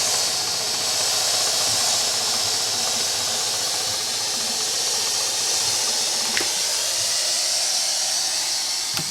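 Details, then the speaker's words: Bissell Symphony 1132 vacuum and steam mop after steam pump replacement, on high with trigger pulled: steady strong steam hiss with faint thumping clicks, no sputtering; normal steam output. "hear that thumping noise I guess that's plenty that's normal here the steam"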